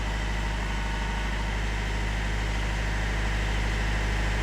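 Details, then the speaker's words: Euro-torque diesel just after a fuel filter change, held just above 1000 rpm for about 15 seconds to purge air. A steady, deep clatter with an even beat and no stumbling or cutting out; healthy, with no leaks. "just a few revs just above 1000 just about there nothing more than that normally give it about 15 seconds like this just to let it Prime the air through and get them any bits of air out"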